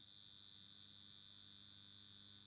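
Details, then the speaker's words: Circa-1960 fluorescent batten fixture, cleaned and running on its original gear: faint steady hum with a thin high whine from the original magnetic ballast; normal operation, no insulation fault. "Donc là, on a le ballast. On l'entend."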